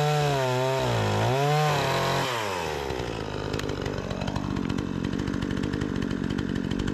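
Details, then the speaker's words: Repaired Remington 46cc two-stroke chainsaw cutting large tree-branch logs: revs climb quickly, then hold a strong, even buzz as the chain bites without bogging; seems well tuned, normal running under cutting load. "it's got plenty of power I was just going into the wood a little bit a little bit funky as you guys can see the chips is putting down plenty of power make a few more Cuts I feel like it's tuned in pretty"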